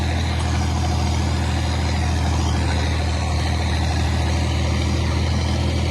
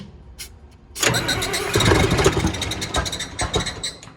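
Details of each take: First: John Deere 4020 tractor running while spreading in the field: deep, steady diesel beat with even firing, no knocks or rattles. Normal running. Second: John Deere diesel tractor, not-so-cold start on a 78° day: brief cranking, then catches with an uneven, rough surge that takes a couple of seconds to settle; typical Deere hard starting. Cause not confirmed.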